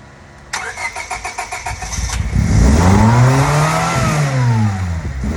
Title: Vacuum Leak I Think. 1999 Civic revving itself and high idle